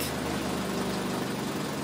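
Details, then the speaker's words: 2003 Toyota Corolla after repair of an intermittent P0301 misfire caused by a bad injector: smooth, even idle with a steady low drone and no skipped beats; misfire counts all zero. "Alright, alright, so there you go, no more misfire, it's all zero."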